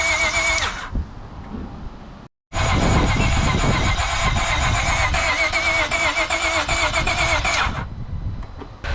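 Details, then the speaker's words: 2012 Acura TL 3.7L J-series V6 with catback exhaust, high-flow cats and Ktuner, freshly swapped engine, cold start: catches and settles into a steady, even idle with a light throttle blip, smells of fuel; normal cold start and idle. "sounds good are you giving a gas sounds really good yeah it's cold smells like fuel it's let it idle"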